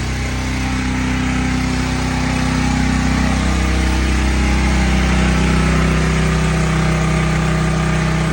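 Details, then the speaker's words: New Sportsman 4000 dual fuel gas/propane generator run with no load to circulate oil, gauge showing 120 volts; steady even drone at constant speed, no misses or knocks, normal no-load running. "shut it off there that was loud was it quite a bit no nothing uh I didn't put no load on it but I just let it run to circulate the oil through it"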